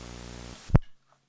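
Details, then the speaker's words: Audio ground-loop demo: steady low mains hum with buzzy overtones for half a second, then a pop and silence; classic ground loop. "We got our noise."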